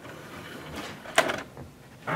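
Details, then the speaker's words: Home DVD player playing a library DVD with an RFID sticker stuck over the label, making the disc puffy; all such discs do this: loading clunks, then loud, steady rough whirring roar as the disc spins up. Stickers suspected as cause. "Popping, oh, what is that noise? What is that? It sounds like it's eating my player. What the heck?"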